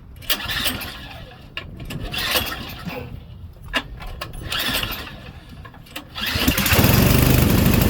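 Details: Auction-bought Craftsman Series 2 snowblower after checking the points and wiring continuity: uneven cranking pulls, then the small engine catches and settles into a steady, loud run.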